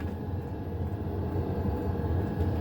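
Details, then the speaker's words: HCalory 8KW diesel air heater with new fuel pump: steady low roar of burner and fan, no pump ticking audible; normal, quiet running. "I can't hear it. So if you're wanting a diesel air heater that you can't hear it tick, if you are a light sleeper, this is the unit for you."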